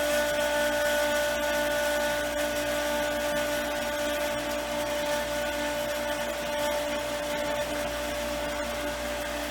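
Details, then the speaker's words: Lodge water-system pump, reinstalled after its frozen impellers were freed: loud steady whirring with a hollow, slightly uneven churn while it sucks in air; pressure is no longer building as before, so it is struggling to prime. "it's not even building up like it was before so i'm going to turn this off"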